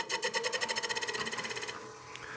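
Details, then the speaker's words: Banjo set screw rubbing a spinning 2-inch kiln-dried cherry cake-stand blank on a wood lathe while truing the recess: a fast, even ticking rub, about ten per second, repeating each turn then stopping; move the piece or stop the lathe. "Set screw on the back of the banjo's rubbing the piece. So when you hear that noise, just move the piece out of the way or stop the lathe."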